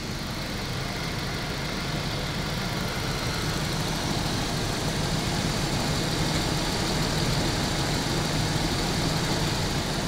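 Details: 1992 Daimler Double Six Jaguar V12, customer car: steady engine hum with a faint airy whoosh at certain raised rpm, heard by a small mic near the oil filter housing; source unconfirmed, another car's similar noise went away with original filter and correct oil.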